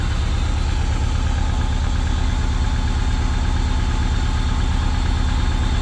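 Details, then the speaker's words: Subaru 2.5RS rebuilt engine, first start after reinstall, idling to warm up before shutdown: smooth settled idle with regular deep pulse, nothing rattling or tapping; normal idle. "sounds really good nice that is awesome I'm just going to let get a little temperature in at the first time here before we shut her off"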